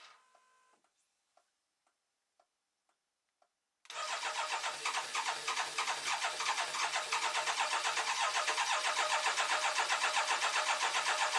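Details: BMW K1200LT after new fuel pump maintenance kit: steady even cranking at about four beats a second goes on without catching; cranks but won't start, fuel pressure being checked.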